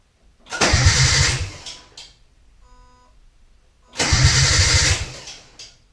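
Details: Datsun 280Z, first start in many years after fogging oil was put down the spark plug holes: two short starter-cranking bursts of about a second and a half each, engine never catches; cranks but won't start.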